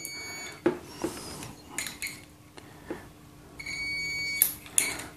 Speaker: let me show you the proof , you can clearly hear the beep and as i press the tone plate beep stops